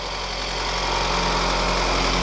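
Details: Integra GS-R with a rebuilt B18C5 Type R swap and headers, just after first start, warming up: steady, even idle with a smooth low hum and no knocks or misses; running healthy.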